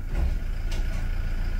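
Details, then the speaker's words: 2018 Toyota Hilux 2.8 diesel idling with check-engine and warning lights on the dash: a single dull thud on shifting into D; harsh transmission engagement that the mechanic believes is 90% a weak battery, not yet confirmed. "Por incrív que pareça esse piseiro todo é a bateria é 90% de ser só a bateria faz esse piseiro todo aqui no câmbio no painel e tudo a bateria tá fraca"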